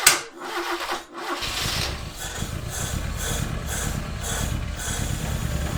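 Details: 1976 RA23 Toyota Celica, rebuilt engine stored for years, first cold runs on its own fuel system: it cranks, catches, then runs lumpy with a stumbling beat; misfire from plug leads out of firing order, possibly running on 2 or 3 cylinders.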